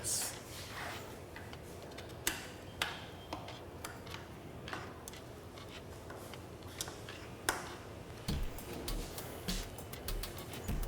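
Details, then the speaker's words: Niner mountain bike after frame swap, wheel coasting with chain off the cassette: light irregular freehub ticking with no scraping or rubbing; disc brake rotor runs clear, no noise. "You hear that? That's what I thought. There ain't no noise. It's perfect."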